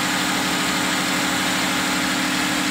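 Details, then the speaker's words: 2013 Jeep Grand Cherokee, 3.6L V6 Pentastar, after replacing one rocker arm with a failed bearing: the engine idles smoothly with the ticking gone. "so i'm going to slip this one back in and we should be all set and there we go we got it all put back together and as you can hear the ticking is gone"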